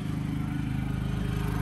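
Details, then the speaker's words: Predator 3500 W inverter generator, new, dropping back from an RV AC plus microwave load to a low, soft, even idle with steady pulse and no hunting; wheel lock makes slight noise; normal idle. "goes right back down to a quiet idle sounds good the little lock on the wheel is the only thing that's making a little noise there"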